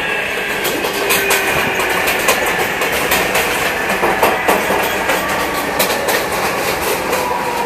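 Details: MTA R142A car 7686 on a Manhattan-bound 4 train, 183rd Street next: steady tonal howl over rail clatter and joint clicks as the car runs; one traction motor howling, cause unknown, later fixed.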